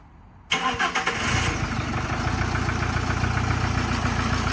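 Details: Camper van with replacement engine just fitted, new timing belt kit and water pump, fuel primed: starter catches within a second and it settles into an idle, described as shaky; no knocking or rattles heard.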